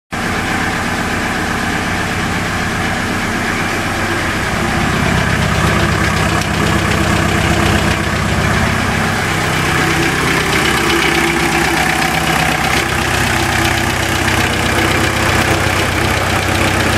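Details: VW Jetta TDI diesel idling: steady, fairly regular tick, about four a second, over the diesel clatter; still present after new rod bearing and new lifters (less than 100 miles ago), cause unknown.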